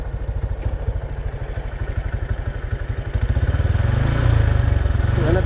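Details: Honda Supra X 125 with manual clutch, stock clutch springs, old MX plates, 1500 g balancer, Daytona clutch lining, warm; even steady low putter with regular pulses, lifting slightly in speed near the end; normal warm idle.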